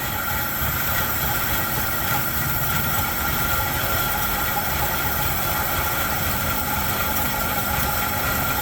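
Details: Chevy C10 pickup, 350 V8, sat in barn 30 years, cold at 29°F, running on primed fuel with empty tank: steady even V8 beat with hissy background, no knocks or stumbles; runs properly.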